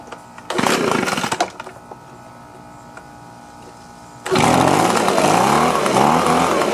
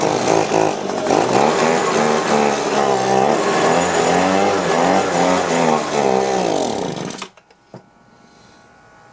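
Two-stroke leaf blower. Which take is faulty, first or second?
second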